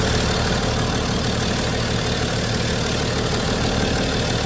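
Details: BMW 535d xDrive diesel, first start after replacing failed high-pressure fuel pump, injectors, low-pressure fuel pump and rail sensor plus regulator: steady, even diesel clatter at idle with no misses, knocks or hunting; healthy normal idle.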